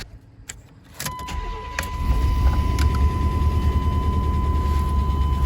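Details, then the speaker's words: 1993 Chevy Silverado 5.7L 350 TBI after new heads and head gasket, first start: busy idle with rattly clatter over it; unadjusted, loose rocker arms clanking. "i still got to adjust my rocker arms yeah those are clanking around pretty bad"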